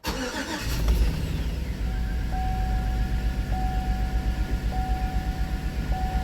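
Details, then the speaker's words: Chevy Tahoe V8 with P0300 code, idling during cylinder contribution test: lumpy, uneven stumbling idle, misfire traced to cylinder 7. "so we're dealing with cylinder 7"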